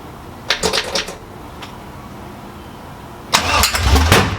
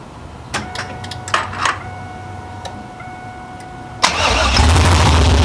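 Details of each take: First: 6.0L V8 Trans Am build, first start, exhaust not fitted: two bursts of sharp cranking cracks with loud popping from the open pipes as it tries to catch; backfiring on startup. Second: Pontiac Trans Am with freshly built 6.0L V8, cammed, open headers and no exhaust, first start: brief crank, catches at once with a little gas, loud choppy poppy idle before stalling; normal first start with lumpy cammed idle.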